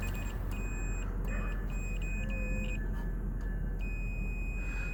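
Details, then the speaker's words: 2006 Trailblazer rear window defroster joint repaired with silver-content conductive epoxy glue: meter probe on the repair gives a steady high continuity beep over faint hum, showing a good connection. "I'm going to show you, because I'm going to just put my probe on it, and you can hear the tone from the meter."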